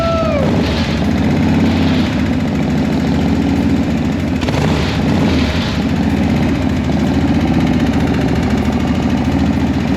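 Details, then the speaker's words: 1979 Harley-Davidson Shovelhead, sat about six years, started with some ether after fuel work (float suspected): brief starter whir, then the twin settles into a steady, strong, lumpy idle without misfires. A clean, easy start. "Okay. That was the easiest fire up. Yeah, that was sick."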